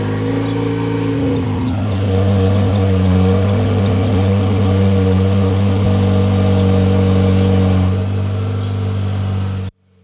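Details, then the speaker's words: 2025 GMC Canyon Denali with about 1,000 miles, cold start: holds a fast, smooth, even high idle for about 15 seconds with no misses or knocks, then drops to a low idle below 1,000 rpm; normal cold-start fast idle. "So getting up into the truck, this thing has a wicked high idle. For the first 15 seconds or so on a cold start, it'll run really fast."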